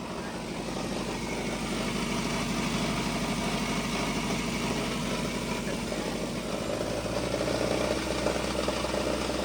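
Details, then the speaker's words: Uneven, fluttering idle with a loose pulsing beat that wanders and a rattly vibration felt on the engine; rpm fluctuates, calming when given gas; owner suspects exhaust pushback or a reversed flex-plate causing imbalance, cause unknown. "But it's weird how the exa the RPMs are fluttering and when you touch the motor itself, there's this weird vibration."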